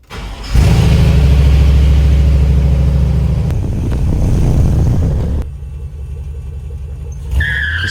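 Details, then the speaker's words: 1964 Chevy C10 with LS V8 swap, after fixing a no-crank/no-start that blew the ignition fuse (bare, possibly arcing purple starter wire replaced): quick crank, catches at once, even lumpy idle, starting and running normally. "Ran a brand new purple wire down to the starter and we're back in business."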